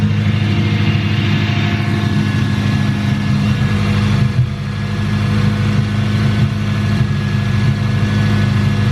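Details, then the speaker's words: Engine after new valves were fitted and too-tight valve clearances readjusted: steady, even idle with a smooth low hum and no tapping or ticking; running so far without dying. "Here goes nothing. It's working so far. Hasn't died yet, but fingers crossed it doesn't."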